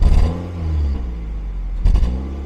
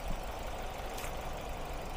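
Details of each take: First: Classic Ford Focus 1.8 hatchback shaking and lacking power, check engine light on since morning: lumpy exhaust thumping on throttle blips from misfire; codes show random, cylinder 1 and 3 misfires (three failed ignition coils, water found) plus EGR flow fault. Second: Ford Focus, warm engine, after water found at the ignition coils (cylinders 1 and 3 had misfired, failed coils): restarted, now even steady idle with no shaking or stumble; all cylinders working normally.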